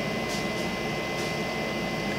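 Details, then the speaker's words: Creality CR-10S Pro V2 3D printer idle, not printing or moving, before fan upgrade: constant loud fan rush and steady high whine mostly from stock electronics bay fans. "again this is not even printing or moving this is just the fans [Music] and i don't know how well my microphone is working but a great deal of that sound is coming from the electronics bay"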